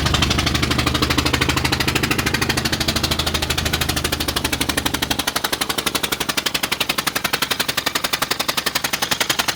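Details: 2000 Ford Explorer Sport two-door, 2WD: the engine runs with a fast, sharp popping or knocking that repeats steadily throughout.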